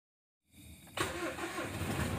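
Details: Mitsubishi Strada Triton common-rail diesel that previously would only start when primed with petrol: after repair, short crank then fires right up and settles into a steady even idle; normal start.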